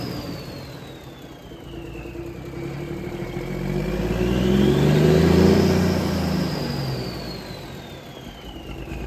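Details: 1978 International Transtar II cabover diesel, first start after sitting 3 years: smooth swell and settle with a rising then falling whistle, no knocks or misfires; runs well, a leaking heater core line noted afterward.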